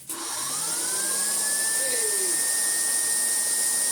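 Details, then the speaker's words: Siemens Super VS 31-45 vacuum cleaner, first power-up before refurbishment: motor spins up to a steady high whine and holds evenly, no grinding or stutter, but almost no suction, likely partly a dirty seal; motor healthy. "But if the solder's working, and although work it does, there is no suction at all from it, but motor sounds very good indeed."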